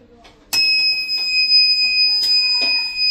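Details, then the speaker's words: Microtek EB 1100 inverter on 13 V battery, before repair: switched on, steady unbroken high-pitched beep, no other indication; continuous alarm, cause not yet found. "ना ही कोई आगे indication आ रहा, battery लगातार beep दे रही है।"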